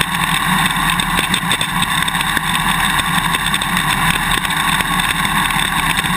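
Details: GoPro Hero 2 mounted on a motorcycle swing arm while riding: sharp irregular clicks, a few per second, over steady engine and wind noise. The quick-release buckle is vibrating in the mounting bracket; fit the vibration plug, and tape between the parts eliminates the extra clicking, with straws seeming to work as well.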